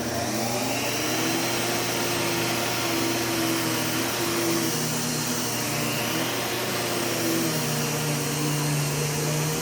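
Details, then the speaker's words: U1 upright vacuum switched on with its separate power and brush roll switches: motor and brush roll hum steadily at even pitch, no grinding, rattling or surging; normal running. "so we'll go ahead and turn this on and turn on the brush roller as well placing a brush roll switch and a power switch"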